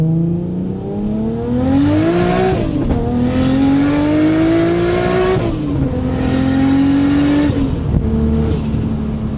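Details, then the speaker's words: Nissan R32 GTR RB engine, window open, after fitting Turbosmart oil pressure regulator, new OEM thermostat and fixed V-band exhaust leak: pitch climbs smoothly through three pulls with crisp drops at each shift, no leak puffing; healthy exhaust. "I'm gonna pop the window so you guys can hear the exhaust noise. It may be too loud and blow out the mic, but you know, RB."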